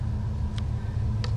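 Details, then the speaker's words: GM G-Body whose owner complains of a high idle and a check engine light, started with no light on: a deep, steady, even rumble with no misses or knocks, idling under 1,000 rpm, which is about where it should be. "under 1,000 RPMs, which is pretty much where it should be."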